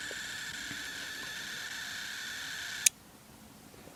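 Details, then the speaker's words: Nikon Coolpix S9900 with lens error, opened up on power-up with one gear removed: thin whirring motor hum for a few seconds, then a sharp click and it stops; noise seems to come from the other lens motor or mechanism, cause unconfirmed. "what I'm troubleshooting is I get a lens error and I'm wondering if this motor is the one that's not working because I hear a noise"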